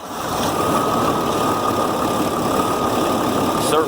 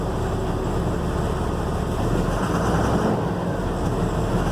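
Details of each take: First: 2007 Ford F750 5.9 Cummins diesel after replacing injector to cure miss and protecting rubbing wiring: steady even idle, constant drone, no skipping; check engine light stays off. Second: 2007 Ford F750, 5.9 Cummins diesel, six-speed manual, check engine light: uneven idle with an irregular stumble every few beats, scanner code for number four injector; engine miss from faulty injector, runs smoothly after injector replacement.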